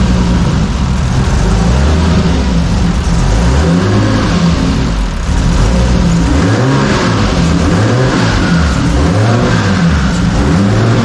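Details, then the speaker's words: Engine on Haltech base tune after warped intake manifold repaired by welding and new spark plugs: strong deep revving rising and falling evenly through throttle blips, no stumble or misfire, apparently running on all six cylinders. "But I don't know that it sounds like it's running on a lot more cylinders now. I don't know if it's running on all 6, but."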